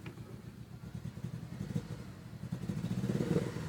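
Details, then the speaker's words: Mitsubishi 4G63 after replacing coolant temperature and cam angle sensors, sat two weeks; rough idle, skips and fails to rev when throttled, nearly dies, owner suspects bad timing. "when you try to give when you try to give her a little revs she doesn't rev up and find she's revving skipping"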